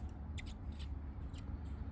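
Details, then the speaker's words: Brand new 3-2-1 Coyote engine for a 2008 Mustang road race car, pre-lubed with engine still: faint high chirps like baby birds over a low hum on both sides as oil reaches the dry rockers; normal priming noise. "Like little baby birds coming to life. Even on the other side, I can hear it."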